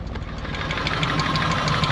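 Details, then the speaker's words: Nissan R34 Skyline petrol engine first running on its own after 10 years parked outdoors, stale fuel, no coolant; rapid light metallic lifter tick over rough idle, expected to clear as lifters run longer. "Let the lifters run for a little bit longer so we can get rid of that lifter tick."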